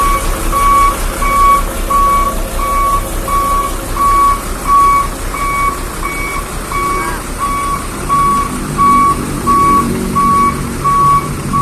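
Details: Hino Vector tronton dump truck reversing in a tight space: loud, even high-pitched beeps about 87 a minute over a rumbling diesel; the back-up alarm is working normally.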